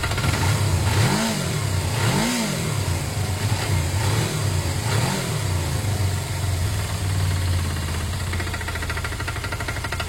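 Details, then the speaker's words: Motorcycle twin idling with a few revs, revving fine with no power loss: a rough, uneven knocking under the exhaust note that tracks engine speed. Owner suspects oil, which looks okay. Cause unconfirmed. "okay so yeah that's not something too healthy at all at this stage is that engine knock I don't know what they is I had noises like that before and they're not overly they kind of disappear after the oil circulates or so on and some engines just a bit louder than others"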